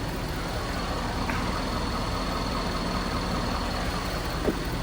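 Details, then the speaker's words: Diesel at idle during a mobile repair: steady, even idle with a constant rush of fan air and no knocks or surging. Fan kicks on higher, pressures drop slightly, reading holds at 225; normal, job called done. "Yeah, it just kicked on a little higher. My pressures are going down slightly."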